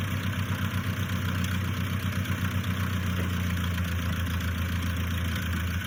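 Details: 1955 Massey Ferguson MF65 four-cylinder tractor after carburetor rebuild, new points and spark plugs: steady even low idle about four pulses a second, no misses or knocks, running smooth.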